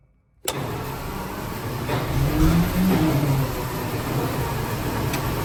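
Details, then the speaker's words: Centurion ARV (armored recovery vehicle) starting with a bang, then lumpy, uneven running that struggles to build revs. Owner says it lacks power and wants to stall on clutch engagement. Suspects the ignition timing and plans to double-check it. "yeah right I'm not I'm not totally happy with the timing just doesn't seem to pick up when you when you're R it when you let the clutch out it seems to want to kill it doesn't seem to have much power so I'm going to double check the timing"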